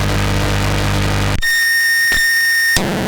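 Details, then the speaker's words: Guitar pedal power test with a cheap unregulated adapter not meant for pedals, around 600 mA load: loud steady hiss with low hum, then a piercing high whine; power supply noise inherent to the adapter, not a fault. "noisy yeah there is nothing wrong with it it just it is what it is"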